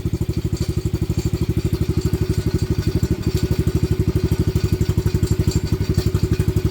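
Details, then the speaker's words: Venom Madix 125 quad (PZ20 carb), choke makes no difference: heavy low thumping about three beats a second with a stumble, rough uneven idle after running good earlier; owner suspects valves or air-fuel screw, unconfirmed. "'Cause all he did was it ran good. See? It's doing something it shouldn't be."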